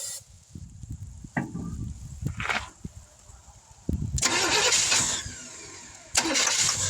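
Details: 1971 Chevrolet C10 after sitting for decades, outdoor start, timing just advanced, no fuel pump: it fires twice, chugging under two seconds each time before fading. Owner suspects an inadequate fuel source, possibly spark plugs.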